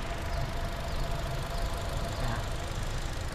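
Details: 2022 Toyota Innova Reborn 2.0 V automatic, about 17,000 km, used-car inspection: steady even idle with a smooth low hum, no knocks or ticks; engine judged normal, dry with no seepage, compressor dry.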